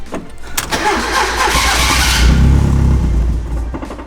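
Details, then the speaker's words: Turbo Miata cranks, catches and runs rough for a couple of seconds, then dies because it ran out of fuel with the injectors unplugged; this clears fuel from a flooded engine, and the owner suspects priming caused the flooding. "so it just ran out of fuel now now we got all the fuel out of the engine"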